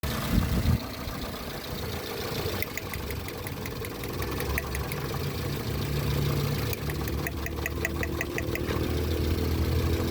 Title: Cylinder misfire test